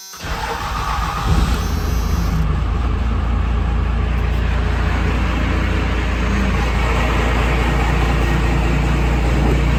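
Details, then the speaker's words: Second-gen Dodge Cummins diesel truck just after a new serpentine belt tensioner was fitted (the old one threw the belt off the AC compressor by one rib); cold, even idle with no belt chirp or slap. The belt is now good. "So our belt is on, we're good. You can hear the engine idling up now. cold, obviously, but I think we're good to go."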